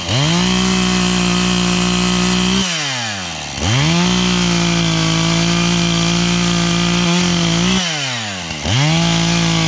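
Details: 440 chainsaw bucking oak firewood on a chilly morning: it winds up to a shrill, steady high-pitched scream each cut. The owner suspects it is running too lean and needs carburetor tuning; it later died, possibly out of gas.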